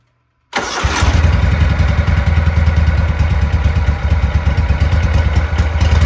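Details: Cub Cadet 1863 garden tractor engine, after replacing the PTO clutch bearing, catches at once and settles into an even, steady thumping idle with no misses or knocks; normal start and idle.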